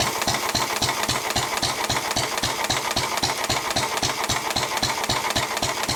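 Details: 1923 3.5 hp Emu (rebadged Hercules) engine, idle 20+ years, after oiling the sticking magneto and exhaust-valve mechanism: crisp, even firing beats about four a second with no misses or clatter; it runs pretty well.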